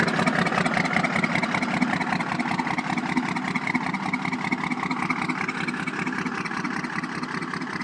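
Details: 1993 first-gen Cummins diesel idling with an uneven, lumpy beat: a dead miss on cylinder 2 caused by a nickel-size hole in the blown head gasket between cylinders 1 and 2.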